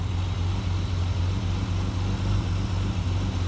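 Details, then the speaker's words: Triumph TR6 converted from carburettors to Patton Machine TBI fuel injection, cold start at 58°F in neutral, new silicone hose replacing a collapsing vinyl one: steady low exhaust beat, even and unbroken with no stumble, a smooth normal cold idle. "uh she's running smooth already"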